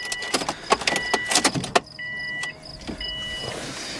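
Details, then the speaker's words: 2002 Subaru WRX wagon, almost 400,000 miles, auction car with weak battery, full tank of fuel just added: a few sharp key clicks, then a steady thin whine about a second and a half with engine off; fuel pump priming. "Oh man, that battery's kinda, oh, I can hear it. I hear the fuel pump prime."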